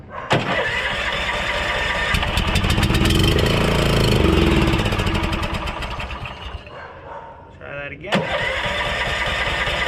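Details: Honda Harmony lawn tractor, found abandoned, first start without carb cleaning: fires at once, runs at an even steady beat, dips briefly, then picks up and runs normally.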